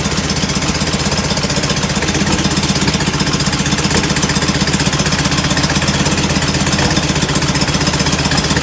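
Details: Enlarged performance VW air-cooled carbureted engine with larger air filters: steady, chuffy idle at about four pulses a second with lumpy, puffing exhaust; running rich at idle, oversized idle jets suspected.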